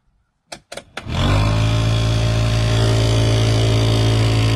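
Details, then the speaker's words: Geo Tracker heater blower fan, dash removed: clicks then a loud steady fan drone with deep throbbing vibration; squirrel cage found full of insulation debris. "sounds like a fight something inside vibrating in there"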